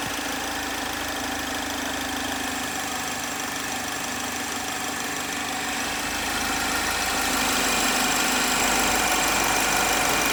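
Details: 2010 Chevrolet HHR 2.2 Ecotec at warm idle: fast, even ticking about three times a second over a steady whine; weird noise only when warm, cause not identified.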